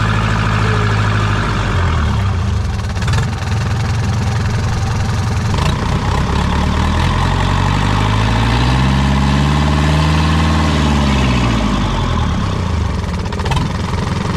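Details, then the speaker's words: Newly bought secondhand marine diesel on the stand, running after swapped wires were corrected: a steady low clatter at an even idle with no misses or knocks. Normal idle; the alternator may need replacing. "that the engine works and the bad news is that we might need a new alternator"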